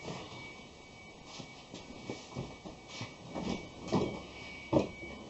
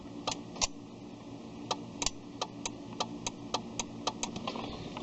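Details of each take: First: 2001 Ford Escape on its first start after a starter replacement for a no-start: brief cranking after a quiet stretch, then a clean catch with no grinding or whirring from the starter; a normal engine start. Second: Ford Escape no-start, lights all on so battery not suspected: sharp single relay clicks repeating unevenly with each key try, no cranking; starter suspected failed, switch or anti-theft also considered.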